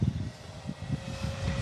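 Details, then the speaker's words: E-flite Commander mPd 1.4 m RC plane, motor run: buzzy, uneven drone with a rough pulsing flutter, sounding like a gasser; the motor vibrates, suspected loosened motor mount, prop to be removed to check. "Ooh, it's a little vibratey. A little vibratey. Okay, so. Sounds like a gasser. Yeah, definitely got a motor mount that's a little bit freed up."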